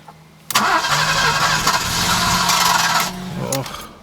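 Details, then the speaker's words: Alfa Romeo 90 first start attempt after 22 years standing, new fuel pump and coil fitted: few seconds of steady cranking with no firing or catch; owner suspects fuel problem. "okay so after many attempts as you saw the thing still doesn't start so what I'm gonna do is the last thing that I can find is the fuel problem"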